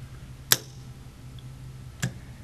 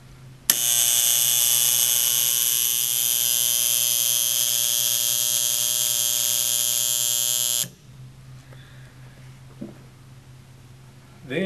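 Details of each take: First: ASCO AC solenoid valve after reassembly with the coil and nameplate reseated: two crisp single clicks as it opens and closes, only a faint steady low hum between; normal solenoid valve operation, noise gone. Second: Harsh, loud electrical buzz from an AC ASCO solenoid valve, beyond the normal slight hum; the valve is not bad, just needs a little maintenance after depressurizing and draining.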